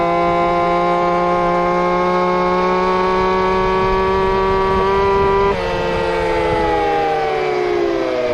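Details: Two-stroke RC Big Foot, camera chest-mounted, after fixing motor plate screws rubbing the off-road tire: high clean howl climbing at full throttle then easing off, no rubbing or scraping; normal run.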